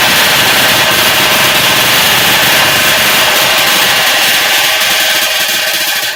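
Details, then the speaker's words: Two-stroke bike jetted with a 95 main jet, which is far too lean (120 planned for testing); loud, raspy, high-pitched buzz held steady before dropping off. "It It sounds good. I've got a 95 jet in it, which is way too lean."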